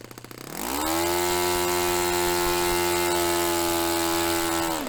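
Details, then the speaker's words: Restored Saito FA-45 Special on a test stand, 10% nitro fuel, warmed up. Pitch climbs quickly to a steady high scream, peaking near 10,260–10,300 rpm against a manual peak of about 10,300. Holds evenly four seconds, then drops. Normal full-throttle run; top end richened slightly. "So that was actually a good little run. We got the peak at about 10,260, 10,300. Was a little bit high, so I richened it up slightly."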